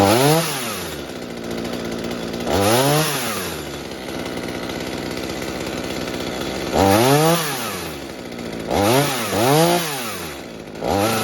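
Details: Mini chainsaw saved from scrap, being fixed for a fuel leak, after carburetor adjustment (low side opened, too-rich high side leaned): steady idle between sharp rev bursts rising and dropping cleanly, no bogging; normal idle and revving.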